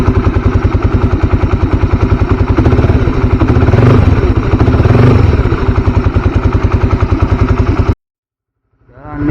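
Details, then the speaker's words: Single-cylinder motorcycle idling cold, just after an oil change to Deltalube Adventure 731 20W50: even, steady thumping with no knocks or rattles, holding speed while warming up; healthy cold idle, later settling near 1400 rpm. "ini waktunya tes suara kita tunggu 5 menit dulu ya buat rekam suara mesinnya ini soalnya kan mesin belum panas"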